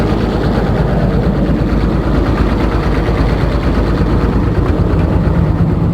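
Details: Komatsu diesel engine with low power, high vibration and white smoke: heavy clatter with a rough, uneven knock at about three per second over a deep drone; cause not yet known.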